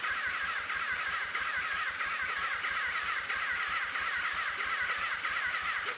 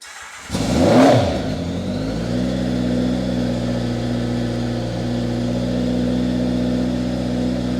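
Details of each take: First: 1983 Honda Nighthawk 650, sat since 1987, first start attempt: starter spins the engine in steady beats but it never catches; fuel system was air-locked so no fuel reached the carbs. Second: 1983 Honda Nighthawk 650 four-cylinder, sat since 1987, restored, cold start on choke then throttle: catches quickly and runs even and steady, no misses or knocks; runs healthy.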